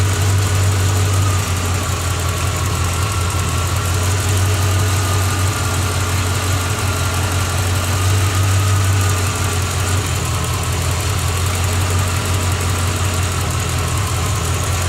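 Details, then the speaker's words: 1986 Corvette L98 TPI 5.7L V8 idling after cleaning clogged plenum EGR port (for EGR and knock sensor codes, failed emissions): steady even low rumble, no knocks or misses, settles smoothly, healthy. "she's running we got her back together like it's close to be so far well it's running"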